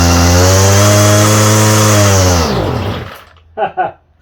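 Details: Homelite string trimmer, no model number, with a new non-OEM Chinese aftermarket carburetor; two-stroke buzzes steadily high, then sags and dies within a second once the mixture is turned slightly past its one working spot.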